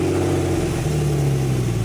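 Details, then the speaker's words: Porsche 911 started with the silencers removed, after a jump from a van. Low, steady, loud and open droning exhaust with a slight rev; loud exhaust from the missing silencers. "ast time I had the silencers off the car, a lot of people in the comments actually said, why don't you just start it without the silencers? So we're going to do that now."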